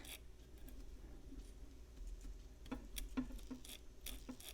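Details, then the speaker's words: Non-working Copal model 701 flip clock, case opened: faint irregular ticking and clicking over a low motor hum as a stiff motor drives the gear train; a gearbox problem is suspected. "oh it's more than just stiff there may be some gearbox situations here so we'll have to look at a little more"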